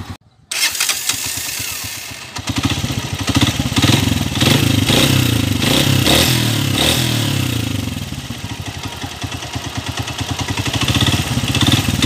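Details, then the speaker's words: 2017 TMX125 Alpha motorcycle, formerly very noisy engine from a bad connecting rod: engine catches after a short crank and settles into an even, quick idle beat with no knocking; runs smooth again, a big difference. "napakingan niyo yung andar niya kanina ngayon umaandar na smooth na ulit malaki na yung pagkakaiba"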